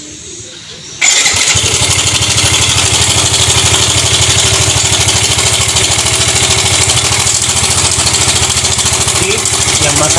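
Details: Yamaha Fino 125 scooter at start-up: fast, busy ticking rattle over the idle heard from both sides; suspected faulty automatic cam chain tensioner letting the cam chain rattle.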